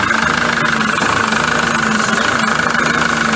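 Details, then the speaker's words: 2007 Peugeot Boxer diesel van, 45,000 miles, error code P2135: idle with faint uneven beat, speed hunting up and down every few seconds; surging, not running right, cause not yet found. "obviously you can hear that it's definitely surging it's not running right"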